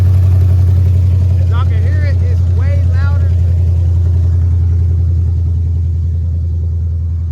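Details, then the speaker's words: Car idling after the manifold exhaust leak was tightened, during a throttle body swap: a deep, loud, even idle with no ticking or puffing at the manifold. It sounds louder and healthier than before. "Y'all can see, it's way louder, sounds way better."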